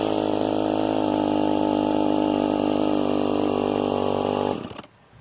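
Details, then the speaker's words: Old Craftsman chainsaw with 18-inch bar, manual oiler and decompression valve, after cold start: steady high buzzing two-stroke note held even for four seconds, then cuts out abruptly; running fine. "Fire it up. Cold start, by the way. Hit right there."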